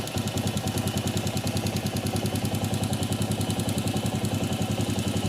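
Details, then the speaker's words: Honda CG 125 single-cylinder engine idling with an even thump; metallic tec-tec ticking stops when an internal part is pressed inward to take up its play, proving looseness inside, and returns when released. "vendo que parou o barulho? Ou seja, tá com folga lá dentro."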